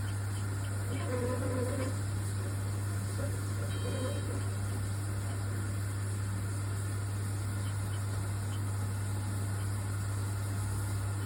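A strong steady low buzz holds unchanged throughout, a constant mains-type drone from the shower unit; the cause is unclear.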